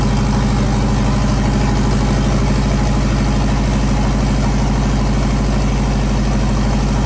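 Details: JDM EJ20 turbo WRX engine swapped into a kit car, after fogging oil in bores: deep, even idle at about two beats a second, no stumble or knock, idling smoothly.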